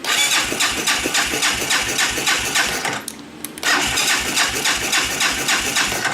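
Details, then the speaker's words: Baja 250cc, cranking after sitting; steady starter churning about three and a half strokes a second, pause, more cranking, never fires. Owner suspects no spark and a dirty spark plug: crank no start. "Nothing. I don't think we got any spark."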